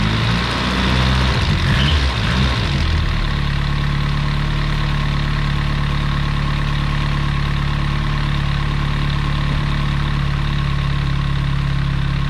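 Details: 1989 BMW M3 with the original S14 engine, after replacing the valve cover, rear panel and spark plug gaskets and sealing an intake vacuum fitting. It cranks and catches within three seconds and holds a steady, even idle with no misses or knocks.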